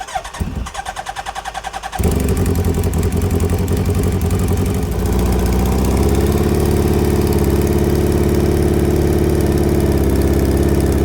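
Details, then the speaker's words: Hayabusa-swapped Can-Am X3, four-cylinder, morning start: starter churns then engine catches into a lumpy, uneven idle with a stumbling beat; suspected dead cylinder, checked with exhaust primary temperatures, not confirmed. "it doesn't even sound like this thing's running on all cylinders. It sounds like it might have a dead hole."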